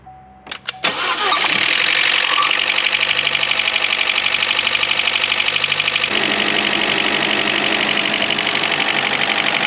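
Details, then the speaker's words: 2012 Chevy Cruze 1.4L, first start on jacks after head gasket and cylinder head replacement following overheating: fast valvetrain ticking at idle; lifters not pumped up with oil. "There's a little more valve train noise here than I wish there was. I'm hoping that's just a matter of some followers pumping up with oil."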